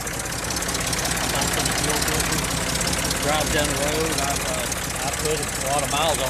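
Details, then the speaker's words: Engine cranked from the starter after fitting a homemade fuel pump diaphragm cut from drag-slick sidewall: steady, even idle, no knocks or misses, over background chatter; runs smoothly, works perfectly. "there you go it works perfect"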